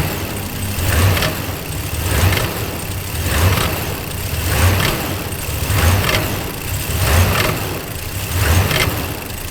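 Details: Dodge Ram 1500 on a morning cold start: idle rises and sags about every 1.25 seconds, hunting instead of holding steady. The cause is unknown.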